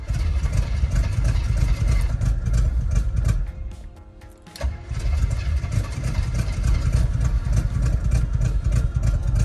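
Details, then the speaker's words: 1972 Chevy C20 3/4-ton with factory 402 big-block, automatic, first start after sitting: catches and runs lumpy and uneven at low idle, dipping once before recovering; good oil pressure; rough running. "That's good oil pressure, real good. It's running off the carburetor by now. She's rough."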